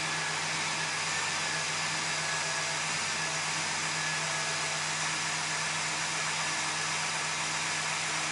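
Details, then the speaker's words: Service truck first start after engine install, fluids topped off and A/C vacuumed and recharged: engine fires and holds steady even idle with smooth hum, no knocks or ticks; runs healthy. "settle everything down sounds really good"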